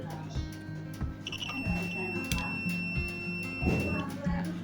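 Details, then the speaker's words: Multimeter continuity test on the wiring of a SQOE SEST250 HSS guitar during a refret and full setup: clear steady high beep for nearly three seconds over music, meaning solder joints and components are properly connected; continuity beep, good connection. "kalau kondisinya normal akan berbunyi seperti sirine, ampometernya akan berbunyi. Artinya satu komponen dengan komponen yang lainnya itu sudah terhubung dengan pas."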